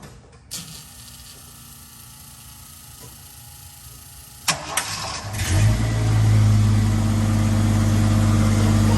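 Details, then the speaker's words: Jeep Scrambler after a fuel pump replacement, in neutral: quiet stretch, a cranking burst, then the engine catches and settles into a steady, even idle with no odd noises. Normal start and idle. "I'll take that. That's not noisy at all."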